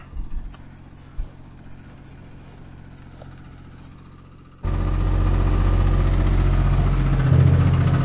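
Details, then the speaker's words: Peterbilt 379 flatbed diesel idling low and steady, then a fast loose rattle over it from the ladder shaking on the headache rack. "you hear that rattle on the truck that's the headache rack making that noise it's the ladder"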